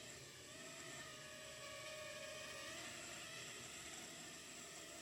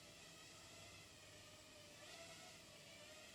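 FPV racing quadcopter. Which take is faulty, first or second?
first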